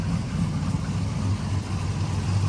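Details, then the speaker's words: 1999-06 Chevy Silverado V8 with newly installed Flashark intake, stock manifolds and MagnaFlow exhaust, idling just after startup, quiet from the mic position: deep even rumble, no ticks, knocks or misses; healthy idle. "It sounds so good. It actually is nice and quiet up here."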